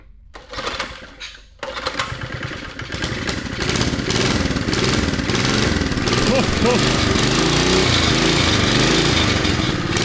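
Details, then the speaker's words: 1972 Sears Roper mini bike, Tecumseh HS50 5 hp flathead, on old gas, started with starting fluid and running on choke. It sputters to life then settles into a steady, even single-cylinder putter, no misses and no smoke; runs healthy. "Oh, it sounds good. Let's see. Dude, it's purring."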